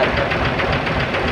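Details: Diesel dump truck idling after a no-start that was first blamed on the starter, which was removed and found fine, but was really a weak battery: a short stretch of steady clatter with a regular pulse and no stumbling. Normal idle.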